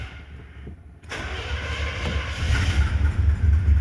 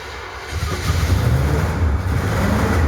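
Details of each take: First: 1970 Chevy Impala 400 small-block, revived after abandonment, fresh gas in tank, primed with electric pump then disconnected: quiet a second, then catches into even steady idle with low regular beat; normal start. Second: 1970 Chevy Impala 400 small-block, long abandoned, new battery and ether: engine stumbles and catches, then builds into rough rising revs with deep uneven beat; flooded engine clearing and firing.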